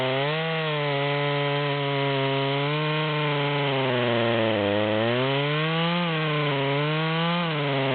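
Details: Stock rear-handle Stihl MS200 chainsaw running a 25-inch 3/8 bar (84 drivers) buried in a large log, a third into the cut: high buzz wavers and sags, never holding full revs; bogging under load, struggling to pull the chain.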